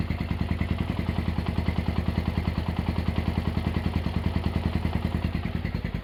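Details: Honda GL100 (GLK 100) engine from Palembang after restoration, with CDI installed, a new tensioner blade and idle raised: a quick, even single-cylinder putter of about three pulses a second, no clatter or ticking. Clean, healthy idle.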